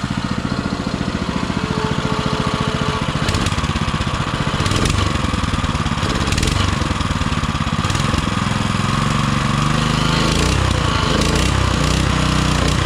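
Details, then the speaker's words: Baja Motorsports Baja Warrior mini bike, single-cylinder, running in very cold weather: a loud, raspy, even thump at a steady fast idle; it runs fine, but the lawn-mower-like exhaust sounds terrible and is to be changed. "also this exhaust sounds terrible it sounds like a lawn mower that's going to have to get that's going to have to change"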